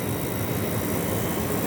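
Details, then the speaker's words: Dirty fan motor running over 20 minutes; constant low rumble with rough grumbling undertone, noise internal to the motor and unchanged when handled. "esse barulho aqui no motor tá só que esse barulho é dentro do motor pô entendeu é dentro do motor esse barulho aqui ó"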